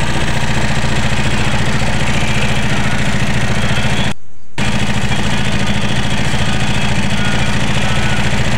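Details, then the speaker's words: Yamaha Mio scooter engine running but idling very harshly with a loud, fast clattery rattle; no oil reaching the cylinder head, blamed on a clogged oil filter starving the top end. "Oke dan untuk motornya ini bisa hidup ya guys ya cuman suaranya kasar sekali ya guys ya"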